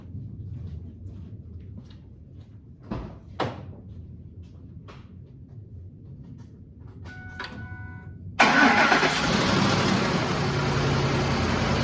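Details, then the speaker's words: 2007 Ford F-150 5.4L 3V Triton V8 cold start after sitting 15–20 minutes: loud harsh rattle for several seconds from slack timing chains, as tensioners had bled off; worse the longer it sits, gone on second start; owner wants chains, tensioners, guides, VVT sprockets and solenoids replaced. "so you should have noticed on that initial startup it had quite a bit of rattle to it the longer it sits the worse that rattle is when it first starts"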